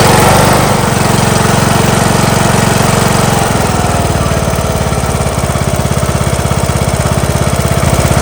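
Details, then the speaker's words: John Deere LA115 mower, 19.5 hp Briggs & Stratton engine that dies at idle and smokes black; uneven, lumpy chugging at low idle as if loading up. The plug looks rich; a bad needle overfilling the carburetor is suspected. Rough idle and stalling. "Looks a little rich. Looks like the carburetor flooding itself. Might be the bad needle overfilling the carb."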